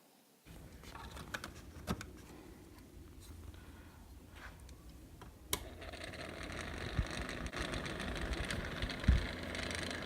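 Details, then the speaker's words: Bathroom exhaust fan motor, cleaned of dirt and dust and run on the workbench, still hums with sharp, uneven clicks. This shows the motor itself is worn, so it was replaced with a new motor and fan combo. "So as you can hear, it's still clicking even without the being in there and all the dirt out. So I decided to go ahead and replace the motor."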